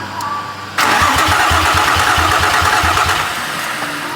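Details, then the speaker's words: A 2005 Infiniti G35 cranks steadily at about three and a half turns a second but never catches, with no spark. An unclamped coolant-sensor connector was found and the ECU checked fine, but the cause is not confirmed. "ECU ECU is fine we have no spark or no fuel the sensor I found shouldn't fixed the problem"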